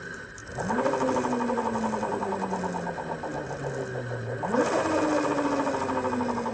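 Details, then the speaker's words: 2020 Zero DSR electric motorcycle, 497 miles, belt tensioned to 49 Hz: motor whine with a rhythmic hammering knock of about 3–4 beats/s on takeoff and throughout the rev range; owner suspects a motor bearing, unconfirmed. "we're still making the hammering noise so you'll be able to hear it as soon as we're able to go we are able to go here we go"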